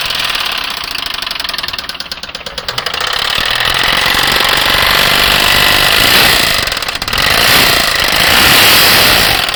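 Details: 2009 Nissan Maxima with a bad motor: loud, rhythmic knocking of about three or four raps a second over the engine noise; the bottom end is knocking, cause undetermined.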